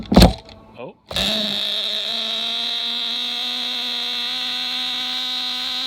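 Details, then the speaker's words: Nitro-swapped Losi Mini-B RC buggy, engine mounted on its side, first start after priming with glow igniter: brief cranking stutter, then a steady high buzzy drone with clean whine, running smoothly before break-in heat cycles. "well that sounds fantastic"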